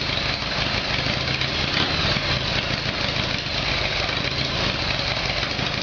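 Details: Harley Evolution Sportster, engine replaced by a previous owner, odometer about 267,000 km (uncertain), after fixing a carburettor problem. Cold start on choke: a loping, uneven V-twin beat settles into a steady idle with no backfires or stumbles. Sounds much better.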